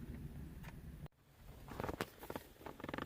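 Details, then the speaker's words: 2010 Ford F-150 passenger-side AC blend door actuator, replacement (Dorman) fitted earlier that year: quiet motor whir then sharp repeated clicks at end of travel; stripped actuator gears suspected, blend door not ruled out. "now that is the problem right here and uh so it's making that clicking noise when it turns all the way back i don't know why"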